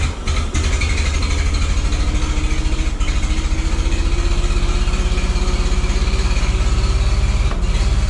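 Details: 1912 Oldsmobile Defender, about 113 years old, just started with its starter motor using a bit of choke and gas: slow, even low chuffing with a faint rising whine from a belt-driven accessory; a steady, normal idle.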